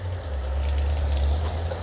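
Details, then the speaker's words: 1978 Bluebird Wanderlodge bus on city water pressure: steady heavy rushing and trickling of pressurized water, continuous, leaking heavily underneath the floor; water leak. "That's my problem. It's leaking like crazy, and it's underneath the floor of"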